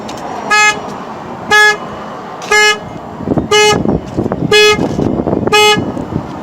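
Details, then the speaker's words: 2003 Saturn Vue 2.2 with codes P1599 and U2107, security light flashing, sometimes won't start: horn honks on its own about once a second, six even toots; alarm false-triggering. "i have this saturn and it's got the security light flashing and sometimes the alarm the alarm starts and activates by"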